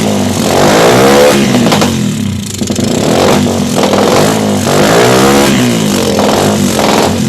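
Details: Suzuki GD110 scrambler with new coil and spark plug, after timing check; engine catches, then revs up and drops back smoothly several times with a strong even note, running healthy after the no-start repair.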